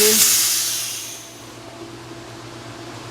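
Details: Pool filter after backwash, circulation and inlet valves closed, pressure released: loud hiss of escaping air fades within a second leaving a low hum; normal pressure venting before moving the handle.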